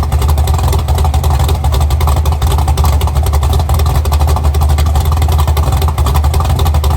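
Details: Chevy Nova V8 idling with a deep, lumpy, even thump and no misses or stumbles, after rebuilding its carburetors (one full of trash); owner had assumed about 10:1 compression but it has more than expected; running clean and healthy.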